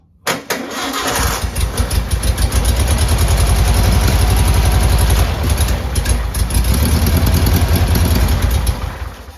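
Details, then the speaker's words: 1959 VW original 36hp air-cooled engine, start after rebuild, second day after recharging jump box: cranks briefly, catches and settles into even, steady low putter, no knocks or misses; normal idle. "well there you go everyone i'd say that's a successful uh will it run video i didn't run it too long but you know at least we know it's a good solid engine it sounds uh wonderful"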